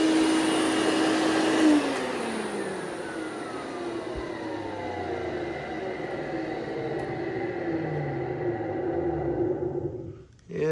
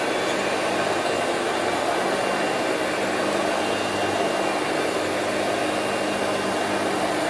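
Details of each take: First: Hoover Celebrity QS Quiet Series vacuum: motor whine falls steadily in pitch on wind-down with a faint rough rumble underneath; bearing noise suspected. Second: Two-speed Hoover Celebrity QS (Quiet Series) vacuum on low speed with the power nozzle plugged in: a steady, even rushing whir of constant pitch, no rattles or surging; normal running (owner notes some bearing noise at wind-down).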